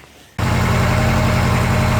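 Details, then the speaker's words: Honda Civic with B18B1 engine after injector rebuild, valve adjustment, PCV and ground fixes: starts right up and settles into a steady, even cold idle, slightly high, with no surging or stumble; only problem was cutting out under load. "but I mean it's cold idle right now so it's a little high but I mean it runs really well this car starts right up idles perfectly no idle surging anything like that"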